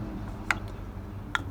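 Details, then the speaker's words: Betty's throttle body, engine off: three sharp snaps as the flap sticks on opening and jumps free, caused by a carbon ring in the bore, likely from age and smoke inhaled in a past fire; to be cleaned. "Betty has been a bit of a bear to drive since day one because this throttle sticks right on opening."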